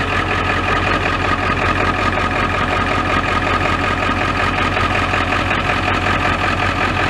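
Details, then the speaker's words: Ford F-350 XL 7.3L Powerstroke turbo diesel, warm engine restarted and starting instantly; steady low diesel clatter with even rhythm, no stumbling: normal warm idle. "try starting it again see she starts Paul instantly once you get her startup warm she'll start right away"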